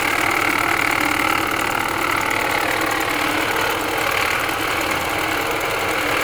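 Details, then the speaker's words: 2020 Ford Escape 1.5 running with AC on: steady engine with rough gritty whir in upper range; water pump and AC unit ruled out by ear, noise traced to alternator, to be replaced. "I don't hear nothing out of that water pump. I don't hear anything out of this AC unit. But I sure hear it out of that alternator."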